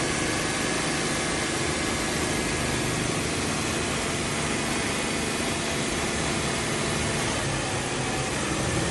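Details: Old carburetted petrol car after carburettor cleaning, butterfly valve adjustment and air filter housing refit, which had idled roughly with heavy shaking: steady even idle hum, no stumbling or hunting, smooth acceleration.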